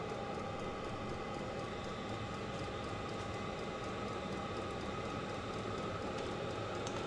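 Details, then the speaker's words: Vevor 5 kW diesel parking heater on its first run with kerosene, 12 V car battery suspected low on volts. Just lit and climbing, it "takes off like a jet". Steady even roar, faint constant tone, no sputter or surging. Normal running. "yep we're climbing you can hear it it takes off like a jet and watch this gauge should start going up"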